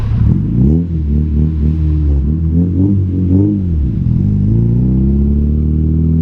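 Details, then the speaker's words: Honda K20A2, first drive, taken to 8,000 rpm first through third: strong exhaust note rising and falling smoothly through repeated revs, no knock or misfire; possible O2 sensor or relay fault noted; normal engine revving. "all right so you guys can tell based off the sounds on those exhaust tones that this thing rips took it up to eight grand first through third and ad were just like wow"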